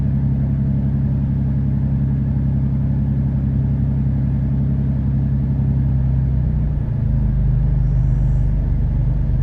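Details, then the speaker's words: 2013 Dodge Durango V6, P0300 with misfires on cylinders 1, 3 and 5 (bank one) despite new coil and spark plugs, timing reportedly right: low uneven loping idle with stumble; misfire, cause not yet found. "there you can see 1 three and five are pretty bad for"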